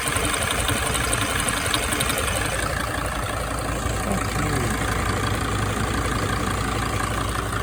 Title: 2006 Sprinter ticking sound - again